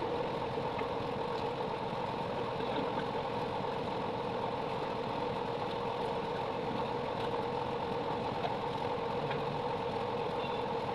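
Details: 3.0KVA generator after a full engine rebuild with new piston and rings: constant smooth hum at steady speed with no knocking or rattling; the problem is solved and it runs normally.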